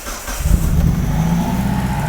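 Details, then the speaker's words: 1995 Mitsubishi Libero 4G15 with new distributor cap, spark tester set to 20 kV on the number 1 plug wire: steady, even running with the spark heard jumping the gap, no misfire or stumble. Ignition is firing cleanly. "So right now you're hearing let me pull this back up. You're hearing the spark jump in the gap."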